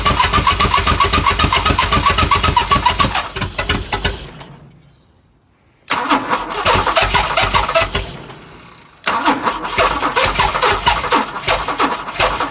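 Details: Chrysler Valiant Hemi 265 six with rebuilt starter, fuel pump fitted, ignition bypassed with owner's own starter switch; three bursts of fast, even cranking, never catching or firing: cranks but no start.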